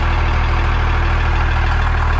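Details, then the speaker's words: Damaged 2nd-gen Dodge Cummins diesel: fires quickly and runs at a loud but smooth, even idle with a deep steady rumble, no knocks, misses or rattles; engine sounds healthy. "It runs so good. This thing fires up so well. It's surprising how healthy the engine sounds."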